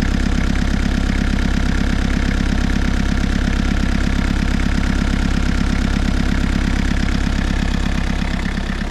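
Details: Suzuki Samurai with an Isuzu diesel, first start after sitting non-running for a year or two: steady, even diesel clatter at idle with a smooth regular beat and no knocks or misses; engine sounds healthy, though alternator suspected of bad diodes.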